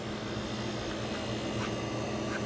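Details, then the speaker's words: 1965 Fedders Weather Wheel air conditioner (115V, 12,000 BTU/h) with a Tecumseh AJ reciprocating compressor, AJM15-94, while cooling: an even, steady hum with a low buzz and no knocks; the compressor head is cold. It is running normally. "So it's pretty much operating normally, because we do have the one fan in there."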